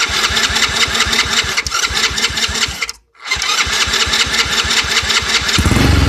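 Uneven firing pulses catch, then the engine falters and dies before cranking ragged again; it bogs and stalls, cause not clear.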